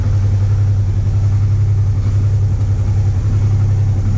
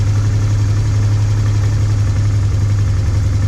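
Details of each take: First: Honda Transalp 650 V-twin idling cold on choke after new plugs and air filter, recorded from above and below. A steady low throb carries faint, uneven light knocks at about 220 a minute. Light knocking at cold idle. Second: Honda Transalp 650 V-twin after new air filter and all four spark plugs, warmed up about 2 minutes: deep, steady, even idle with a faint light top-end tick; normal idle.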